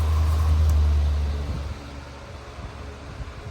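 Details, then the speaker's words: 2000s Patton U2-1487 Holmes fan on medium speed: steady low even whir; the out-of-balance blade vibration heard on high disappears and it runs quieter, normal. "And as when medium goes, the vibration sound goes away. And it's a little quieter too."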